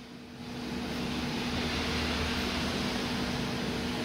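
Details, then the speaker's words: Philips HD9643 3.2-litre air fryer after repair of a food-burning fault, timer counting down mid-bake: steady, even fan whir with a faint constant hum, no scraping or wobble; fan motor running normally. "m ngược nè sắc màu tóc thứ quá trình nướng rồi quạt quay vẫn rất là máy nha"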